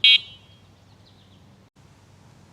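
A short, shrill beep around three kilohertz, about a fifth of a second, then quiet; the horn sounds normally.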